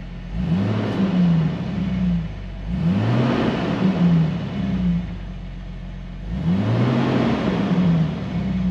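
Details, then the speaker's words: 2000 Jeep Wrangler Sport six-cylinder, just started in neutral after replacing the rotted fuel tank skid plate, no leaks: two clean free revs rising and falling smoothly, no knocks or rattles; normal revving. "seems [Music] good let's do some rev"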